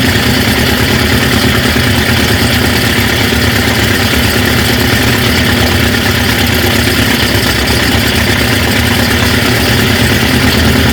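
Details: 1950 Ford F5 flathead V8, 53,065 miles, sat over 20 years, idling on a temporary fuel tank: loud steady idle with a rough busy rumble, no obvious knock; heavy smoke, the owner suspects rings need to reseat; good oil pressure.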